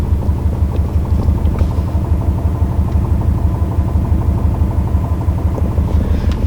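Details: Subaru at idle, near stock horsepower: steady low idle with rapid, fairly even ticking about three per second over the rumble; odd idle noise, cause unconfirmed.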